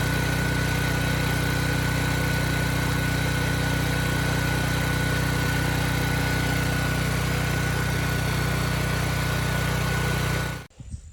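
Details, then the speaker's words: Generator model 030471-01, stored 5+ years, after low-voltage repair now producing 120 V at proper engine speed: steady even drone with constant hum, no misses or surging; normal running. "So now that we have proper voltage, proper engine speed, I'm gonna start it up, throw 3000 watts on it, make sure things stay good."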